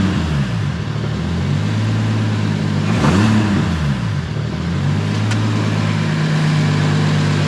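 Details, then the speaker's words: Toyota engine, described as the 2JZ, being blipped: smooth idle with two clean revs that rise and settle evenly, injector sound likened to a six-cylinder diesel, no rattle or chatter; healthy. "ouais rien à voir c'est marrant parce que sais avec les injecteurs et le truc ça fait un bruit un peu comme elles existaient les diesel en 6 cylindres"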